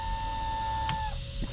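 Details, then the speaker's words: MerCruiser-powered Manta Ray boat during an electrical check on a battery charger, nav lights and stereo dead; thin horn tone holds about a second then sags and cuts out, sounding starved for current; weak horn, likely weak supply. "nav lights don't work horns don't work really it tries"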